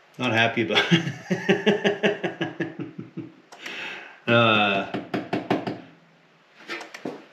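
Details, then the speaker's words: 1956 Oldsmobile 88 sitting partially disassembled, spark confirmed, fuel sprayed in: starter cranks in quick bursts, about two and a half beats a second, engine never catches; cranks but won't start, owner suspects very low compression. "don't have enough compression I don't think kind of sounds like it wants to but man that sounds like it's got some super low [Music] compression"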